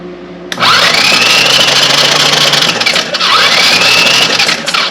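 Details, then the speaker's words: Honda TRX 200 single-cylinder ATV, reportedly parked after running low on oil, previously seized: two bursts of fast starter whirring, engine spins freely but never fires; no spark. "all right we have no spark"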